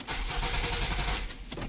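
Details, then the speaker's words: 2009 Nissan Sentra with intermittent no-crank: with the ignition relay removed the starter cranks for about a second but the engine never fires, ignition supply cut; owner concludes the starter relay is at fault and replaces it. "So, that allows it to crank, but it doesn't allow it to to fire up."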